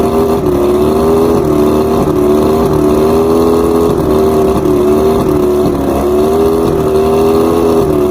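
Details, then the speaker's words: Outboard with rough idle and misfires, run after both switch boxes were replaced and all coils read 250. It holds a steady fast idle with a wavering tone that dips and recovers. Afterwards the new number 5 spark plug was found fouled again, so that cylinder is misfiring. "Number 5 is toasted again. This was actually a new plug. All the other ones seem to be correct, but why is number 5 getting toasted?"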